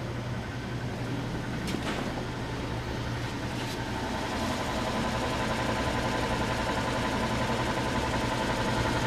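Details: Antique Frigidaire W-5 refrigerator after charging, cold control hooked up and running: low steady hum from the belt-driven compressor with a soft even rhythm, no knocking or squeal; running quietly and healthy.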